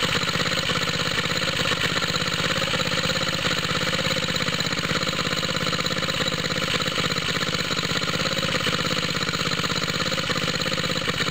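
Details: Cold start of a small water-pump rig engine on straight 30-weight oil, choke on, after fitting an exhaust tip: steady idle beating about three times a second with a hissy chuff each beat. Owner suspects a head gasket leak, seeing smoke from the side of the head.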